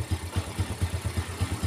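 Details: 4-stroke Yamaha underbone motorcycle (Vega/Jupiter type), smooth in neutral but rough in gear: idle in gear has an uneven knocking rumble, about four or five rough thumps a second, from the right-side engine case; crumbled centrifugal clutch cage.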